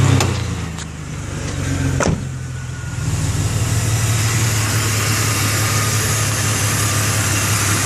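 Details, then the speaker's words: XJ idling with air filter removed, steady airy hiss above engine note from a vacuum leak near the bottom of a sensor/component; throttle body had carbon buildup. "you can still hear that hiss coming from around here somewhere uh it might even be the bottom of this sensor here might have just found it"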